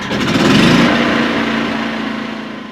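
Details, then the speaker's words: New Firman WH03242 4000 W dual-fuel inverter generator, first cold pull start on gasoline with choke out: a short rattling pull, then it catches at once and settles into a steady high buzz with no sputter; a good start. "pull the choke out make sure and gas and you should be able to pull start"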